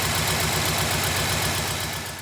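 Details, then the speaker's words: LS V8 petrol engine at first startup after an exhaust flange crack repair with high-heat silicone: steady, even low burble at idle with no ticking or puffing from the exhaust, a normal idle. "all right here we are about an hour and a half later ready for the first startup since the exhaust leak fix let's see how she sounds now way back i can live with that"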